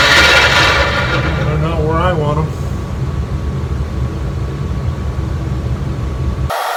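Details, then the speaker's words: Craftsman 12-inch vertical bandsaw just after new guide bearings were fitted, run to check where the blade rides: a loud, steady scraping rub over the motor whir with a faint thin ring; owner doesn't know what it is rubbing on. Loud rubbing noise. "certainly is noisy isn't it i don't know what it's rubbing on to make all that wreck"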